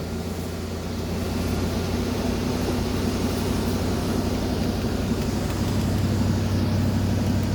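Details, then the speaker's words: 1995 Mercedes-Benz S420 W140 running after restoration work including water pump and thermostat, ASR light on and transmission in limp mode: a steady V8 idle held at about 1500 rpm, where roughly 500 to 600 is thought to be expected. High idle. "you can hear probably she's robbing kind of high Ralph 1500 rpms and a high for this car she's sounding good though"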